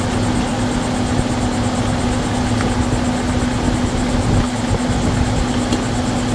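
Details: 2011 Volvo XC90 idling after PCV valve replacement: steady, even idle with constant low hum and no whistle or hiss; engine whistle fixed, running smoothly.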